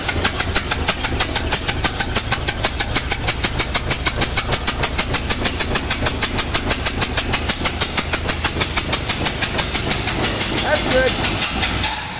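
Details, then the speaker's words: Bronco (the "Brown Cow") with a swapped-in engine that was never right from the start and worsened, just got running; sharp, even puffs about three a second over the engine — exhaust puffing, owner suspects an exhaust valve stuck open, unconfirmed. "what I actually think is going on here is that we've got a stuck uh we've got a stuck exhaust valve stuck open"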